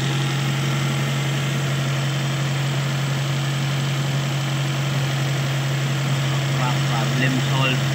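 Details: Toyota (SB) carbureted engine that would not start due to a vacuum leak at the carburetor, hose fixed: now starts and holds a steady, even idle with smooth low hum, no misses or hunting.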